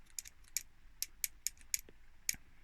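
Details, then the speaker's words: 1950s Addo Multo 113 pinwheel calculator being restored from a seized state: the bottom plate is moved and gives light metallic ticks, moving freely, while a nearby pivot remains jammed. "This plate at the bottom is fine. That's loose. You can hear that."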